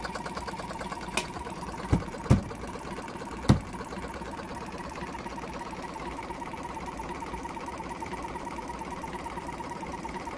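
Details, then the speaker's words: Jumper-box air compressor with a previously seized, still-tight motor and bad internal battery: fast buzzy motor chatter with irregular thumps like a car misfiring; tight motor running rough, owner hopes running will free it up. "sounds like that motor is a bit tight trying to air up balls"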